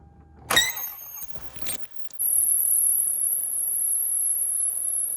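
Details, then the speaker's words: 2005 Lexus ES330, 3.3 L V6, running with timing cover removed: thin steady very high-pitched squeal, coolant leaking; water pump (previously replaced) suspected; water pump, timing belt and idler pulley to be replaced. "back up to see if I can still hear that noise in this area cuz it's also leaking coolant while looks of it which means it might be the water pump which is believe part of the timing system on this thing"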